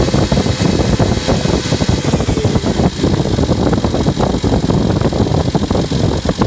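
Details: Engine at idle with a busy, uneven clatter and a fan-like rush over a steady low rumble. Abnormal engine noise; cause suspected, not confirmed.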